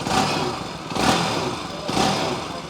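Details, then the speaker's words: Bajaj Pulsar 200NS after a full engine rebuild and cylinder head refit (valve clearances set to 0.06 exhaust, 0.05 inlet): steady single-cylinder idle with a soft lope and rev swells, no knocks or ticks; healthy engine. "मतलब जो expectation customer की होती है ना engine की आवाज से लेकर एकदम परफेक्ट वही सेम एक्सपेक्टेशन है"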